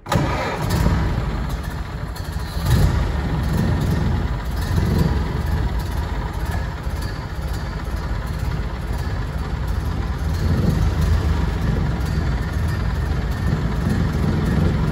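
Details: 1930 Ford Model A Tudor sedan, 201 cubic inch four-cylinder, 6-volt positive ground, three-speed manual, floor starter: the starter cranks briefly, the engine catches and settles into a steady, even idle with no knocks or misfires; a healthy start.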